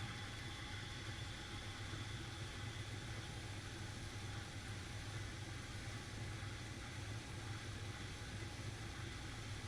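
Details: 1970 GMC 1-ton V8 that wouldn't fire, now running after the points were adjusted. It idles steadily and evenly with no misses or knocks; the alternator noise is suspected as the next thing to replace.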